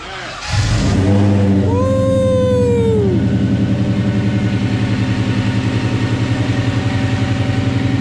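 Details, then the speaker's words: Finished project car (Super Snake) after a year-long build, with the exhaust now complete. It fires up with a brief starter whir, then settles into a steady, even, loping idle with a faint blower whine. Oil pressure is good; a smooth, quiet, healthy idle. "fire right up man smooth quiet all the exhaust is done"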